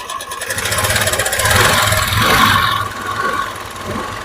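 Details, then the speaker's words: Honda Activa scooter, about three years old: small single idling and blipping with a light uneven ticking; engine teardown found a worn piston and a broken valve guide, with white smoke noted. Engine ticking. "तीन साल के अंदर तो इसमें ये piston भी series हो गया तो इसका पिस्टन का भी साउंड ए रहा था"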